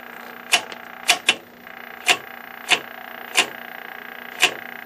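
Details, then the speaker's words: Stromberg Carlson 21TQ tube TV, first full power-up on a variac after replacing a failed part: a thin, steady high-pitched whine from the high-voltage circuit over speaker hiss and crackles, with voltage holding steady. "can hear some whining coming from the high voltage circuit."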